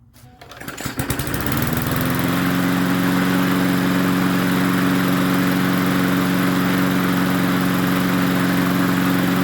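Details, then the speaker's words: MTD 22-inch push mower 11-A084E029: catches after a few pulls, then runs with a steady, even drone and constant pitch, no misses; runs pretty well, though it needs more work. "well it runs pretty good is this the part being low on oil this going to need a lot more work"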